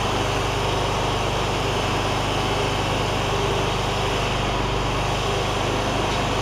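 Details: John Deere ZTrak Z915E Kohler V-twin, sat 2 years, after starting: smooth, even drone at steady speed, no misses, knocks or surging; oak leaves hitting the cooling fan. Running normally.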